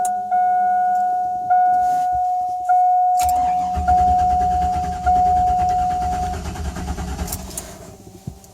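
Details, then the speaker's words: 2000 Chevrolet Silverado 1500 Z71 V8 with a fresh battery and fuel pressure of only 12 psi against a 55–62 psi spec. The starter spins about four seconds; it fires but won't run. Crank no start due to a bad fuel pump. "It fires, but it just doesn't run, obviously, because of the fuel pressure."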